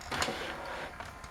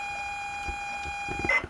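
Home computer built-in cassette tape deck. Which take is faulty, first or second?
first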